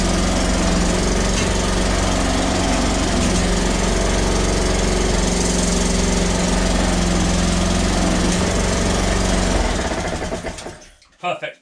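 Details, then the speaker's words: Honda HRX476 mower after repairing self-propel drive that suddenly stopped: engine runs steady and even about ten seconds then winds down cleanly; drives exactly as it should. "Drives exactly as it should do, so super"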